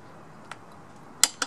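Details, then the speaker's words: Torque wrench set to 51 lb-ft tightening a motorcycle's self-locking rear axle nut (22 mm socket, 17 mm wrench opposite), after ratcheting slack: quiet, then one sharp metallic click and lighter tick as the wrench breaks over at set torque. "The referencing will also be a click, but it's going to be a different click. So, you're going to have to listen carefully."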